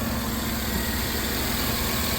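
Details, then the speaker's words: Chevy 5.3 V8 idling after DOD/AFM delete with new lifters, guides and cam, reflashed with deactivation codes disabled, good oil pressure: smooth even idle hum, no tapping from the top end; the earlier lifter tap is gone. "once you save it flash it boom you can hear it runs great"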